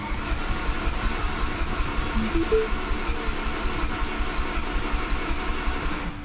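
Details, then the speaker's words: Mini Cooper turbo project that sat two years, with turbo and exhaust manifold just fitted: the starter cranks evenly at almost three pulses a second with no firing, to build oil pressure before the first start; normal no-start crank. "All right, I'm going to crank the, uh, engine one more time just to make sure the oil pressure is up and just make sure everything is good on there."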